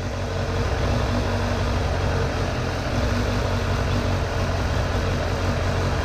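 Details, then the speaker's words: 2002 Suzuki GSF600 Bandit after four-carburetor vacuum synchronization: smooth, even low idle with steady fast beat, no hunting or misses; carbs balanced. "the bike sounds all right so I'm gonna call this synchronized synchronized enough"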